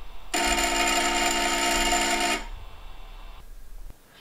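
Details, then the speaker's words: HyperCube 3D printer Z-axis stepper at about 0.4 V Vref (about 1 A), driver swap ruled out a driver fault: harsh, steady high buzzing whine for about two seconds, then stops dead; the motor stalls and binds on the lead screw, cause unconfirmed. "as you can hear it's very it's not good at all there's no though hungry detached from the bed and it's really not good noise"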